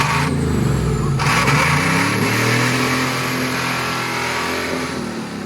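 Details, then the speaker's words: Diesel pickup truck running away on gasoline poured into the intake with a DPF hood stack fitted: the engine races hard and holds high revs on its own, and keeps running until shut off with the key. Owner jokes afterward about a blown head gasket. "just to prove it to you that i'm not scared to run gas through this truck we are going to be dumping it right right down its throat and see how it likes that"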